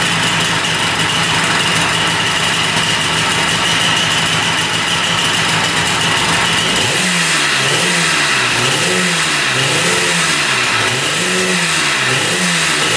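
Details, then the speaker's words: 1974 Yamaha RD200 two-stroke motorcycle revived after battery and ground wire checks, both oil lines pumping; steady buzzy idle then clean throttle blips about once a second, revving freely; normal running. "That sounds pretty darn good."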